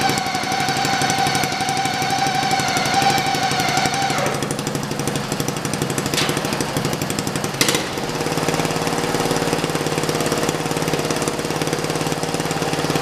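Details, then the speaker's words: Racing lawn mower, single-cylinder, in first gear with the transaxle heavily overdriven versus the stock under-driven setup: a thin gear whine over the engine thump. The transmission is noisy but not bound up. "the transmission is pretty noisy because it's being way over driven I'm like its factor set up which is way under driven so the transmission is really noisy but it's not bound up"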